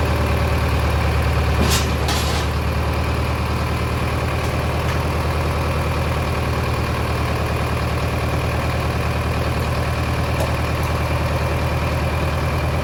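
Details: Mid-1960s John Deere 3020 diesel tractor, about 477 hours, first start after sitting five years: a deep, steady chug at about three beats a second, even and unbroken. It is idling normally again.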